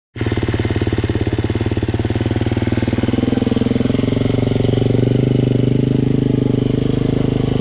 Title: Husqvarna fe 350 rattling noise at 3 hours